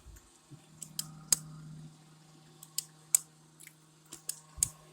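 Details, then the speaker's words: Samsung RF22R7351SR refrigerator: sharp, uneven clicks from the dispenser over a low steady hum, the auger motor and position switch driven by a defective control board (board recently replaced); ice maker also frozen up, no ice. "can you make that stop clicking can you turn it off um i'm not able to"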